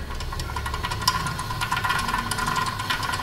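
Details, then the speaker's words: 2014 Toyota Prius rear hub turned by hand, wheel off, owner complaint of loud rear grinding with ABS/Trac light: dry gritty rasp with scattered crackles from a super rusty wheel bearing whose cage debris can jam the speed sensor. "you see the bearings are super Rusty and a lot of times Rus and junk inside that cage breaks apart and that's what gets jammed up on the speed"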